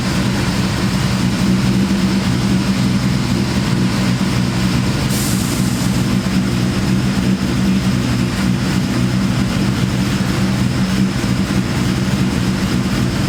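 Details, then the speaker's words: Terminator Cobra with big cams and ported Eaton blower, freshly tuned, at idle: steady deep hum under lumpy idle; owner guesses supercharger causes it, unconfirmed. "I'm guessing that humming noises stir up inning against I can hear it pretty loud"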